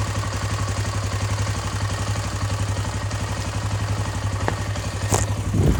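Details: KTM EXC 525 single-cylinder, first start after engine repair: deep steady thumping idle with even pulses and a quick rev near the end; runs normally.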